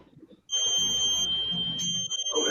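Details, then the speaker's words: Model railroad DCC layout with NCE AIU01 block detection: steady high-pitched buzz comes on and holds as the track circuit breaker trips. Circuit breaker trip buzzer. "well the track has power because you hear that buzzing yeah that was my circuit breaker going off"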